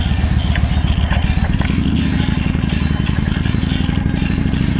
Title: Ducati 1098S Rattling noise problem